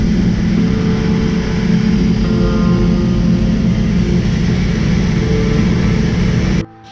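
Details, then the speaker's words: Toyota Supra MK4 700HP build with BC 272 camshafts, ProEFI standalone ECU, first start: steady deep idle with uneven loping pulse, no knocks or rattles; normal choppy idle of big performance cams. "y'all heard the cams y'all heard what it sound like"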